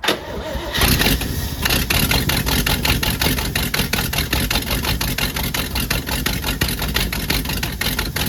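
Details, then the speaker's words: 1966 Jeep Gladiator with 327 Vigilante V8, first run after fuel system work, no fuel leaks: cranks, catches and settles into a fast even beat well above normal idle; high idle, owner suspects choke adjustment. "that ran smooth at really high RPMs uh must be the choke adjustment for this this is just a screw over there"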